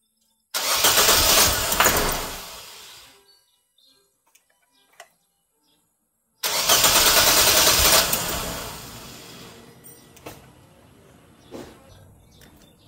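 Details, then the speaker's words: Nissan Almera hard starting: two long cranking bursts, first fades without catching, second barely stumbles to life; spark plugs to be replaced first, which needs the intake manifold removed. "Mga bossing ang unit natin ngayon ay Nissan Alma ay nag-hard start siya naman siya mga bossing lang hard start. So ang gagawin namin mga bossing ay papalitan munain ng spark."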